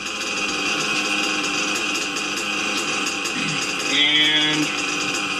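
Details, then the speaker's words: Small engine in warm weather, after the too-lean high-speed needle was adjusted: buzzy idle holding one even pitch after a high-speed pass, with no revving up or dropping, a stable single-stage idle. "Doesn't rev up or drop down. We'll let it sit here for a few seconds."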